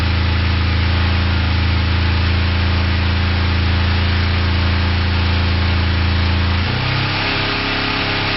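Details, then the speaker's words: Four-cylinder ignition test with coils grounded to the frame: engine started revved, then plug wire two disconnected with plug wire one left in; a steady low drone turns lumpy and uneven, but it keeps running on two cylinders. "so clearly it runs on two cylinders uh with plug wire one in and uh two disconnected"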